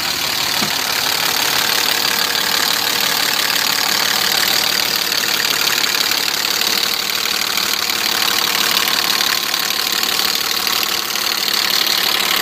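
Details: BMW E34 with M50 engine at idle: faint, uneven tapping about three times a second under a hissy top end; engine knock, cause unclear.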